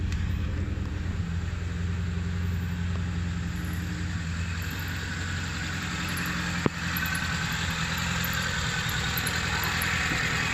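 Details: Proton Wira 1.5 MMC that wouldn't start, after fixing a wiring grounding fault on the main relay: steady even idle with smooth low hum, no misses or knocks; engine running normally.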